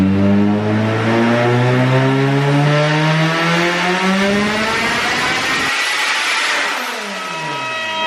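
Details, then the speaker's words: 500+ hp turbo Honda Civic Si, 2.2 L on E85, Hondata S300, during dyno tuning: revs wind down and the idle surges instead of settling. A blown-off vacuum line from the intake manifold to the blow-off valve caused a vacuum and boost leak. "you could probably hear it idle surging when i came back down to idle and i actually blew the vac blew a vacuum line off of the back of the intake manifold that goes to the blow-off valve"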